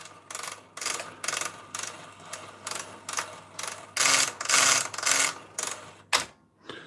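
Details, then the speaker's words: Collaro RC54 record changer running with harsh repeating rasps about two a second because its idler wheel has no rubber tyre; noise expected to go away once the rubber is fitted. "once the rubbers on the idler all that noise will go away but that's only because the there's no rubber as you can see"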